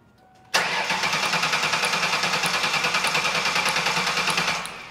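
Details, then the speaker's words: 2001 Ford Taurus: cranks steadily for about four seconds with even compression but never starts. Inertia switch is set and spark is present, but the fuel pump is not heard at key-on, pointing to a failed fuel pump. "when we attempt to start the vehicle the vehicle cranks but will not start"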